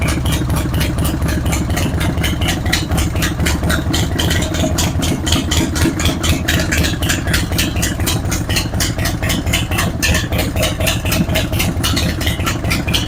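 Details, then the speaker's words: Harley-Davidson Road King V-twin at idle: sharp, quick ticking about twice per second from a leaking front exhaust gasket, with heavy carbon on the pipe; shot front motor mounts also let the engine bounce, causing bad vibration. "So that was indeed the ticking noise that we heard. That was an exhaust leak out of the front."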